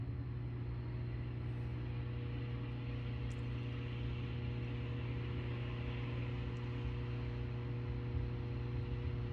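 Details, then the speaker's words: 2015 Frymaster FPEL314CA triple-vat electric fryer, 208 V 3-phase, after replacing the stuck, noisy heat contactor: steady low hum, then one clean snap as the contactor pulls in with no chatter or buzz, normal cycling. "we will see if it starts to cycle, and we have to watch this contactor. That's how it should do."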